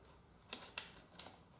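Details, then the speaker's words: 1st Gen Yamaha Virago with no-crank and no oil-light blink, ignition on: three sharp, irregular relay clicks in a quiet room as the Red/White +12 V main feed wire near the headlight box is touched; bad connection on that wire causes intermittent relay clicking. "You can hear that relay ticking. So something is up right there with that wire right there."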